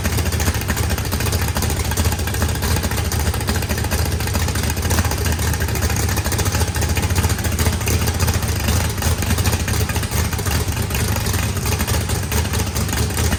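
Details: Freshly built turbocharged 409ci small block Chevy V8 with added compression and a cam not quite as radical as the previous one, first start: deep uneven loping idle with slightly irregular beat, no knocks, good oil and fuel pressure; normal cammed idle.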